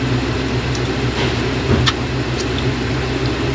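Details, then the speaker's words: Honda/Acura J35 V6 after crankshaft, main and rod bearing, oil pump replacement under rod bearing recall, cooling system bleeding, exhaust leak awaiting new muffler and B-pipe: steady even idle, smooth low hum, no knocking or ticking; engine healthy. "other than that the engine seems to be running okay"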